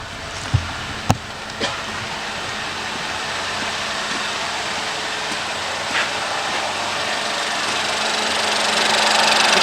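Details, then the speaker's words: Ford 1.0 turbo three-cylinder (EcoSport/Fiesta/Focus) idling after timing belt, oil pump belt and oil pump replacement: quiet, steady idle with only light ticking, no misfire, running smooth. "how smooth that is that's very quiet you can barely hear you now"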